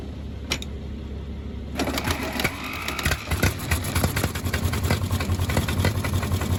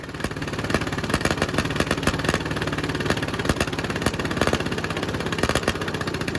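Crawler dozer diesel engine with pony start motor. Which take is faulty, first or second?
first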